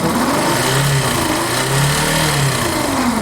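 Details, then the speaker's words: Yamaha Factor 150 motorcycle: a harsh, chain-like rattle rides over the revving single and rises with throttle, felt as vibration and mistaken for bearings or cam chain. The cause was a shorted stator; unplugging its two-white-wire connector silences the noise. "outra tomada estator que essa dois fios brancos aqui até o fio da bobina da moto desligou acelera a E cadê o barulho"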